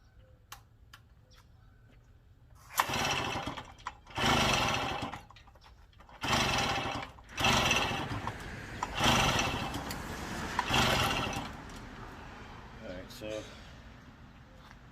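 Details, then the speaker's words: Daelim Trac moped, pedal-started after a month idle, fuel shutoff bypassed, spark confirmed: about six rough uneven turning bursts, never fires; owner suspects timing or reed valve, possibly low compression. "do nothing at all there's no fuel shut off i mean this is all this was bypassed there's definitely fuel getting the carburetor before i took it off i know it's getting spark so i kind of feel like now we must have either a timing issue or possibly the reed valve"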